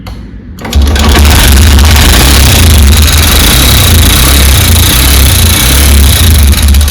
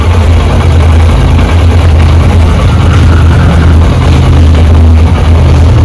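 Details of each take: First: Honda SP125 BS6 motorcycle at about 7 km, idling: loud, uneven ticking knock over the low engine beat, unlike piston noise. On teardown the rocker arm roller bearing was found broken. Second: Honda SP125 BS6 single-cylinder motorcycle, previously noisy (rocker sound), after intake and exhaust tappet adjustment. Smooth, even idle with a soft, steady beat and no top-end ticking or clatter: the sound is now sweet, healthy.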